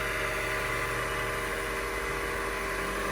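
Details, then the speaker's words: 2003 Honda CR-V K24 after water pump, belt tensioner and accessory belt replacement, started to circulate coolant: steady even idle, smooth hum with no squeal or chirp; previous squeaking gone, running normally. "leave it like that and what you want to do is go start the car so it starts circulating the coolant all throughout your engine so let's see how it sounds [Applause] nice and smooth no squeaky noise back down so about to do that"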